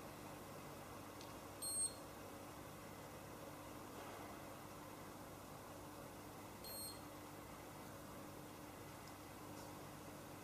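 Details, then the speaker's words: Handheld galvanic facial spa device: two short high beeps a few seconds apart over a quiet room hum, the final beep signalling its automatic timed treatment cycle has finished. "we're nearly there now that's it that's the final beep so excellent you don't have to time it just the machine will do it automatically for you"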